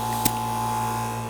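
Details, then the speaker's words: Vevor 13-gallon air compressor running: steady smooth electric hum like a refrigerator, no rattle or knock; compressor sounds healthy. "kind of sounds like a refrigerator. Nice sound."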